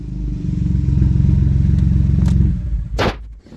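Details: Ford EcoBoost being test-started briefly after a cylinder head replacement: hard start, then a rough, uneven low chug of about four pulses a second before it dies; the fuel pump connector pins were swapped.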